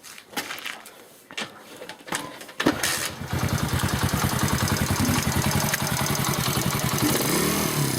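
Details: After a few cranking attempts the engine starts and idles with a fast, fairly even knocking or tapping. The source of the knock is unclear.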